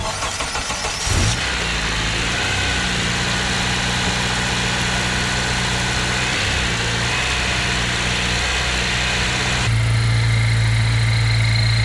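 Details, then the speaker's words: Honda Civic with K24 swap using an old high-mileage K21 crank pulley: engine idles with a persistent whirring noise; the pulley's rubber damper is splitting apart and has dented the timing cover. Replaced with new Honda OEM pulley. Failed crank pulley harmonic balancer. "The whole thing's literally splitting out, guys. You're gonna see what I'm talking about when I pull it apart. That's definitely the problem, guys. It's definitely the crank."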